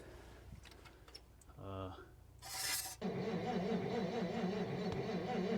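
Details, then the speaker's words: 1957 Dodge Texan sitting unstarted since July 2023, carburetor body loose: steady starter cranking about four beats a second with no firing; owner thinks it's flooded, holds the choke open, and fuel is now getting through. "uh I think this thing is flooded hold that choke open see if that helps definitely getting some fuel now"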